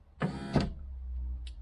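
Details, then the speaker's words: 1990 Range Rover LHD 3.9, rear door electric window: short bursts of motor whirring with no glass movement, because the regulator has come off the glass drop channel. "well the regulator is not actually connected to the glass so it looks like the drop channel has come off right"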